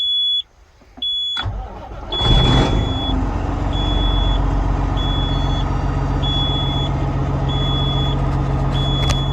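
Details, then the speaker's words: A Peterbilt 379 with an air leak, cranked back up on a cold day (about 38°F). A high beep repeats about every second over the idle: the low air alarm, which should stop once pressure is over 60 as the tanks build. "It's our low air alarm going off right now. Once it gets over 60, it should kick back off."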